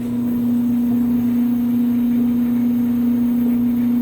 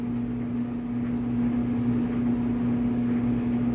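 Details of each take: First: Clothes dryer just started in winter on timed dry with bed sheets: loud, steady low drone, even with no knocks. Noisy only when cold, quietens once motor warms up; seasonal quirk, worst in winter, cause unknown, never affected performance. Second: Clothes dryer in winter after the motor has warmed up: smooth, even motor hum with steady low tone and soft tumbling, no knocks or squeal. Much quieter than at cold start; quirk never affected performance, running fine.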